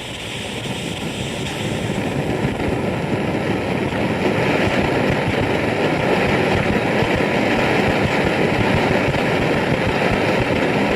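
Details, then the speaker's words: BRS-8 multi-fuel stove, bottle flipped the other way: loud, ragged, fluttering roar with no clean steady hiss; liquid fuel is flaring rather than vaporising. "So what it's doing now is it's basically burning on the gas, but it's still burning off all of the white gas that was collected in that cup at the bottom."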